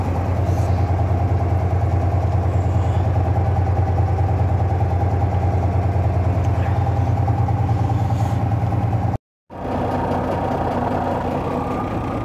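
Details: Volvo VNL 780 truck diesel idling just after starting, after 670 km driven: low, steady beat of about three knocks a second over the engine rumble; knock appeared suddenly minutes earlier while driving, source unknown.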